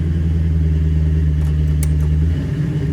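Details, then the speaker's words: LS V8-swapped Prius, starting with exhaust cutouts closed: deep, steady V8 idle rumble with no misses or knocks; normal idle. "Oh, she sounds good. I need a bigger garage."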